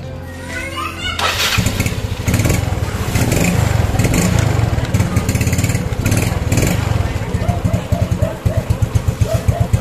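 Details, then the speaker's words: Yamaha Mio scooter that was hard to start as if flooded, after cleaning a dirty carburetor throttle slide that wasn't lifting: catches after a second, then steady even idle, no rich stumble; normal. "tidak terdengar seperti mesin bekerja terlalu boros bahan bakar atau kebanjiran bensin lagi."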